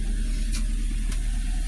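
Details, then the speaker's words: 2003 Nissan X-Trail T30 with check-engine light on: low idle with an uneven beat and sharp stumbles, hesitating with RPM dropping when revved; a failed ignition coil is causing the misfire. "kendalanya adalah mesinnya agak sedikit pincang kalau digas perbot rpmnya turun"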